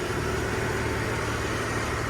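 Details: 1970 Ford F100 six idling just after the charging fault was found: low, even soft hum with no knocks, misses or ticks. It purrs, quiet like a sewing machine; normal idle.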